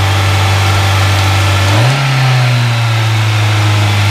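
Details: Citi Golf 1.4i with idle speed far too high and accelerator seeming to stick; idle hum jumps when throttle is blipped and hangs high instead of dropping back.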